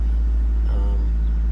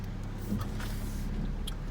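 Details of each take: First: 2001 Saturn SC2 at operating temperature, in neutral, brakes on, foot off the gas, after a Seafoam treatment: a steady, fast idle still around 1,500–1,600 rpm, down from 2,000. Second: 2001 Saturn SC2 after Seafoam carbon cleaning and throttle body and IAC valve cleaning, formerly idling near 2,000 rpm: low smooth rumble settling into steady even idle; idle now normal.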